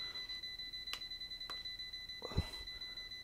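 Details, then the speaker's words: ERGO FS 1677 fan plugged in: brief jolt, then steady high-pitched electronic beeping several times a second, fan stops; only ran on speed 1. Undersized mains dropper capacitor starving the control board. "он дернулся и и начал пикать ну хозяин говорил что он маленькой скорости на 1 еще крутится начинаешь добавлять он вот он остановился включаю работает и перестал"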